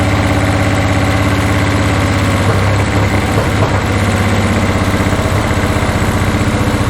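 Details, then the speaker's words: 1981 Toyota Hilux RN46 4x4 with 18R-C engine, freshly rescued, no radiator fitted, run briefly off a fuel bowl: lumpy, irregular idle around four pulses a second, never settling; owner guesses ignition timing still out, cause unconfirmed. "the clutch needs bleeding as you can tell it's still not 100% happy I'm guessing it's still touchy out of time"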